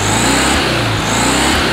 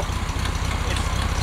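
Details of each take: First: 1969 VW Beetle air-cooled flat-four after replacing wrong spark plugs with correct, gapped ones, choke partly on at first: revs up and down cleanly with no stumble, smooth and no smoke; fixed, running normally. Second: 1969 VW Beetle air-cooled engine before spark plug change: uneven skipping exhaust rumble, stumbling and coughing, won't take full throttle; misfire, owner suspects wrong spark plugs, replacing with correct heat-range plugs.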